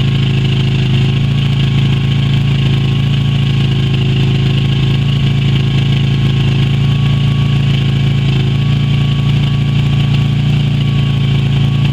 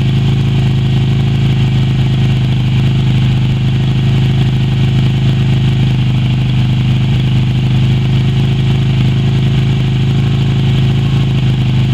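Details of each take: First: Yamaha Virago XV250 after 6 years in storage, old fuel black; carb primed by squirting petrol until it sucked through; steady, slightly uneven low idle with rough pulsing beat, running on to burn stale fuel. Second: Yamaha Virago XV250 V-twin revived after 6 years in storage, black old fuel replaced with fresh fuel and power restored: steady, even idle with a low, smooth pulse and no knocks or misses; normal, healthy idle.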